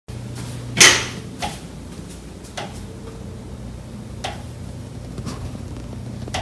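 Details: Condo unit, September: a handful of sharp, uneven knocks over a low steady hum. Pipes behind the kitchen wall knock constantly day and night, audible through the kitchen and living area; cause not found.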